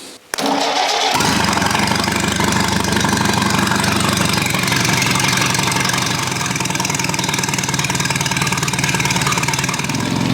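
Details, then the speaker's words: Old Rusty engine, cold start at about 2°C on choke after firing order was corrected to 1-3-4-2; it catches at once but idles rough and lumpy with an irregular beat from retarded ignition timing. "it started up very good, but it still had a bit of a nasty sound to it. It doesn't run very smooth."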